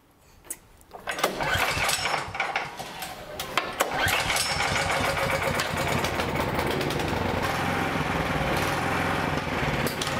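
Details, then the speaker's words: Toro snowblower with overhead-valve engine surging, revving up and down steadily so the light visibly pulses; it starts and runs well apart from the surge. Fouled carburetor suspected, cured by a basic carburetor repair. "so you can hear the surging you could even see the light go up and down a bit and that's because the engine was actually revving up and down because of the surging"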